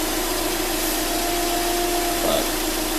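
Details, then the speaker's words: 2005 Subaru Outback XT with swapped JDM EJ20X engine, claimed 48,000 miles: steady even idle hum with constant note, no misses or knocks; runs smoothly and healthy. "everything runs great. It runs nice and smooth."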